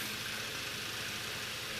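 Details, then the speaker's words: Late-1920s/early-1930s Victor Junior electric fan, first run in decades after a rusted-solid motor was freed: soft, even airy rush with no rubbing, ticking or grinding; motor spins freely and sounds healthy, though blades are off balance. "d sounds good though it's actually kind of encouraging remember now this thing hasn't run this motor was frozen solid I mean solid it wasn't planning and working anytime soon"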